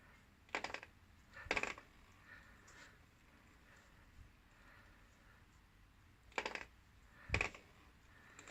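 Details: Kawasaki VN750 final drive: sharp metallic clinks in pairs over a quiet background, caused by dry rubber-to-metal contact in the rubber damper. Greasing the mating points fixed the noise.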